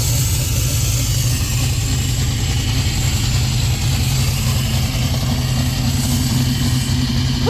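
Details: 1967 Chevy Nova small-block Chevy with FiTech EFI, first start after cleaning a stuck injector that flooded fuel into the oil: deep, steady idle rumble with no misfire, stumble or knock; idling cleanly.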